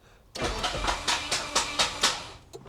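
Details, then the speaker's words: 1988 Saab 900 Turbo started via external starter button: starter grinds with sharp metallic clatter about every quarter second, uneven and harsh; runs perfectly once started; owner suspected starter, now suspects flywheel area, fears rod knock; unconfirmed. "what is that sound see what is that when it starts it runs perfect okay I hope it's not like a rod knock or something"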